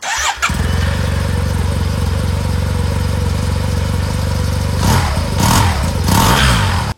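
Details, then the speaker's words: Yamaha TMAX 500/530/560 maxi-scooter started after variator, belt and rollers reassembly: catches straight away, smooth even idle, two clean revs; normal start and idle. "maintenant que c'est remonté on démarre pour voir si tout va bien"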